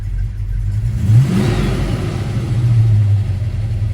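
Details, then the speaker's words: Supercharged 1961 Studebaker Hawk, timing backed far off (mark verified): rough idle on the ragged edge of barely running swells up when the vacuum advance kicks in, then slowly sags back; idle raised it sits in vacuum at about 1400 rpm. "it's right on the Raggedy edge of barely running and then when the vacuum advance kicks in oh hello and then it slowly goes away"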